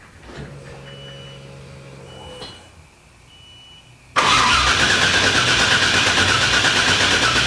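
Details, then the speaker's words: LS1 V8 swapped into a 240SX, open headers, computer not yet tuned to delete the security: key cycling and fuel pump whirr, then sudden loud catch and brief run before cutting out; immobilizer stalls it, oil pressure good. "Oh baby oh my god it fired to life I can't believe that just briefly briefly fired to life"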